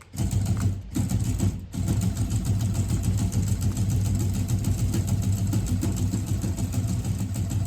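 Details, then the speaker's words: FF6 remote-controlled flapper decoy in speed-setting mode, running constantly while button B held to slow it: low electric motor whir with loose, uneven flapping beat easing in pace; normal running. "It will take the command and carry on running constantly, and then you hold down button B to slow it down."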